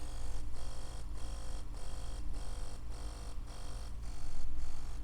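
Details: Ambition Sol Nova wireless tattoo machine that periodically cuts out during work: motor buzz cuts out and restarts about twice a second, running in jerks; brushes snagging and shorting on a burnt commutator.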